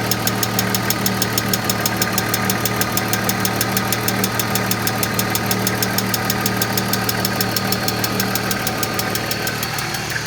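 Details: 1995 BMW E36 M3, S50 inline-six, at idle: sharp fast even ticking about three per second over the idle hum; loud lifter ticking noise.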